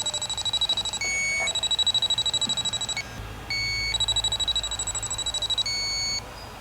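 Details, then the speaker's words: 2012 Ford van A/C system with aftermarket made-up lines; an electronic leak sniffer beeps fast, about three per second, broken by steady alarm tones, pinpointing a refrigerant leak up inside at the evaporator. "I can hear something up here. It's up inside of here. Definitely not normal. So we can hear it. It sounds like it's coming from up in the evaporator."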